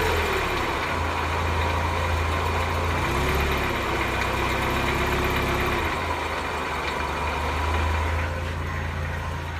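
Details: 1991 Mazda Miata, cold-ish, idling: a faint, dull knock of about four a second from the bottom of the block, harder to hear when warm, also at 3-4k rpm on light throttle; no codes, idle droop worsens it; owner suspects a spun bearing.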